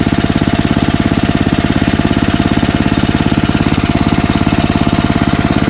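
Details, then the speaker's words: Ariens ST1128 snowblower, 11HP Tecumseh Snow King engine, after carburetor cleaning cured surging (owner had expected the 90-degree carburetor to be inadequate for over 5HP): steady, even single-cylinder chug holding speed, no surging; runs fine. "this proves me wrong unless over the years the hole naturally got bigger on its own which is why it runs fine"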